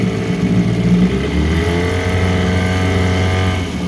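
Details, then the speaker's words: 1974 Johnson 15hp outboard, pond test after service including new impeller and gear oil, previously shifting hard: shifted into reverse, pulls steadily with smooth rising hum, no clunks or hesitation, water pump working well. Normal running in reverse. "reverse and it's doing good now i don't know how it shows up in the video but the pump's working well"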